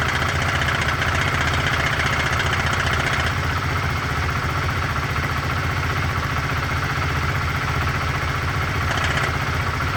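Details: 2004 Honda CBR125R single-cylinder at 14,000 km, idling: a thin tinny metallic tapping about three a second that comes and goes. It appeared suddenly and is heard through the muffler but seems to come from the engine. Intermittent knock, cause unclear.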